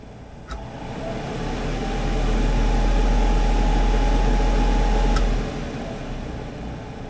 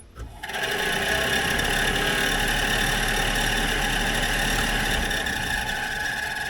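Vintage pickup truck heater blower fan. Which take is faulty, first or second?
second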